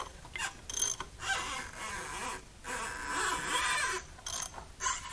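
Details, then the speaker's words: JDM red-top Nissan SR20DET salvage engine with heavy varnish, turned over with the valve cover off: repeated dry, high screeching squeals each stroke, sounding worse than before, from piston rings dragging on rusted bores. "almost sounds worse i don't know how it's possible yeah that sounds pretty bad screaming at me"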